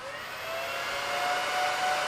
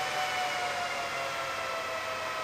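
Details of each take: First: BLF188XR LDMOS amplifier's Meanwell RSP power supply at idle with the top off and case fans unhooked: steady high whirring rush with a faint rising whine. Its internal fans run at full speed and get loud once keyed and current is drawn. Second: Meanwell RSP power supply in a single BLF188XR LDMOS amplifier, after upgrades to quiet its internal fans, which earlier sounded like a jet: steady airy rush with faint high whine, no rattle; fans now running low and quiet, normal.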